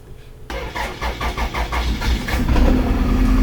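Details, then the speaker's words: Petrol car, former taxi, cranks in quick pulses then settles into an uneven lumpy idle from a misfire; the whole engine visibly shakes and vibrates in the bay. "So, I hope you can hear how terrible it sound like. It sound like something is shaking."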